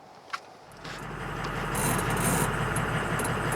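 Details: 6.0 Powerstroke diesel after hard cranking, with new glow plugs fitted and the glow plug control module inspected and reseated: a faint knock, then it catches and settles into a steady, even, smooth idle.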